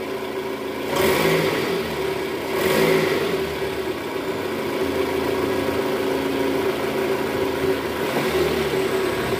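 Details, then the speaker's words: Toyota Estima 2AZ-FE after balancer shaft replacement, idling in gear, plus revs: smooth and even with no roughness; the earlier rough noise is gone. "Suara mesinnya sudah kembali normal ya, sudah halus, nggak kasar lagi seperti di awal video tadi tuh."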